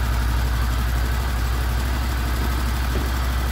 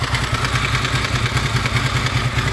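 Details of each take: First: Honda VFR800 VTEC V4 at 58,200 on the clock, first start after cam chain replacement with sprockets reused: deep, smooth burble at idle with no chain rattle or knock, normal idle. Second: Honda VFR800 VTEC V4, 58,200 mileage reading, at idle: metallic clatter pulsing over the exhaust beat, heard mainly from the right side and front cylinder, comes and goes; timing chain later replaced.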